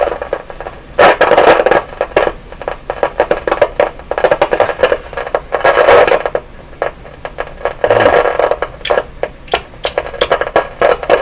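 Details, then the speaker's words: Westinghouse 981X shortwave receiver: irregular harsh crackling and hiss that flare when the output tubes are touched, possibly from poor tube contact. Static crackle when touching the output tubes. "So that sound could be everything from poor tube contact."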